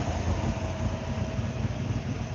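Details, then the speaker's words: Ford Boss 302 at an outdoor cars-and-coffee show: deep, lumpy V8 burble, even and steady at idle over background noise. Normal idle. "That Boss 302 sounds good."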